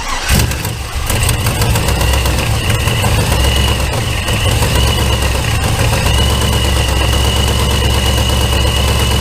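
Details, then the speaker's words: LS V8 cranks, catches and idles with a faint quick ticking puff after manifold bolt repair brackets installed without drilling or welding; bolts retightened, small exhaust manifold leak remains, gasket likely blown. "I tightened all the bolts again as tight as I felt comfortable getting them so didn't want to snap anymore and it still has a little bit of exhaust leak"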